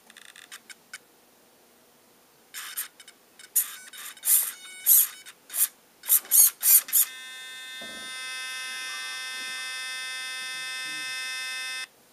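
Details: Brand-new Losi Mini 8ight on the stock NiMH battery, fully charged: short high buzzing whine bursts from the ESC at light throttle and steering, then a steady high tone that stops at full throttle; cause unknown.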